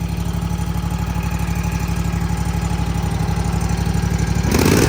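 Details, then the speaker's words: Toro TimeCutter 50-inch with Kawasaki FR691 V-twin, after valve adjustment: even, steady idle with smooth low pulse, earlier valve rattle and clacking gone; normal idle. "Let's see what she sounds like. Oh yeah, way better. No noise. She's quiet as a church mouse now."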